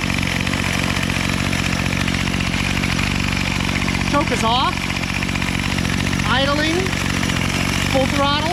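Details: Bolens MTD BL-160 25cc two-stroke weed trimmer after carburetor cleaning and low/high mixture screw adjustment: steady, even buzz at idle and full throttle with no stumbles or surging, chirpy background sounds; runs cleanly.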